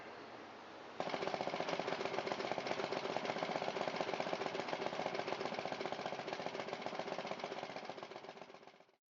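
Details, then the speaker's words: Craftsman 17-inch 6.5 hp rear-tine rototiller, Briggs & Stratton 120402 engine, after long storage and ethanol-damaged carburetor, now with new carburetor, fuel valve, hoses and throttle cable: catches and runs with fast, even putter, no misses or knocks; normal running. "There's the new throttle lever installed, and we have the machine up and running again."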